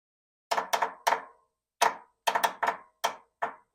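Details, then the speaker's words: About 30-year-old lawn mower, key switch bypassed to test the solenoid by touching its control side: sharp clacks in quick clusters of two or three with gaps, engine never turns over; starter clicking without cranking, possibly weak, cause unconfirmed. "is that it's the starter try to engage I don't even know what that is that sound like maybe weak guys"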